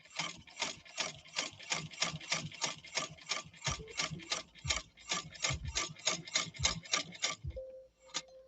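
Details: India-made replica class 15 sewing machine, flaw fixed, sewing 100 percent cotton while holding thread tails: crisp, even needle ticks at about three per second, steady and clean; sewing properly.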